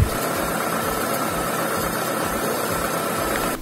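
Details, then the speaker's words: Peugeot petrol engine (407/307 type) after removing, cleaning and refitting the injectors and fuel rail: smooth, even idle with no misses, ticks or knocks. It runs round and clean after reassembly. Normal idle. "Ici, tout est remonté. On entend le moteur qui tourne rond, c'est impeccable. Il a été nettoyé correctement, remonté correctement."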